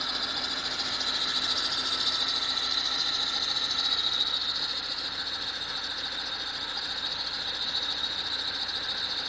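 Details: BMW engine when cold: a thin, steady high-pitched screech over a light, fast mechanical clatter. The noise occurs only when the engine is cold.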